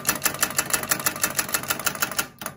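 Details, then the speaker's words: Starter removed from a skoolie bus, bench-tested on a small battery that may be struggling: fast sharp clicking, then silence with no motor spin; the solenoid fails internally, its contacts not making the connection, with some sparking seen. "okay so this has failed internally it's not making the electrical connection we would hear the buzzer buzz and it's not buzzing"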